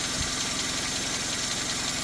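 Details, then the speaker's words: Renault 5 with new air cleaner, warmed up: steady, even idle with a soft regular pulse under plenty of hiss, only a little intake suck, no knocks or misses; normal warm idle. "Lovely sounding engine though, isn't it?"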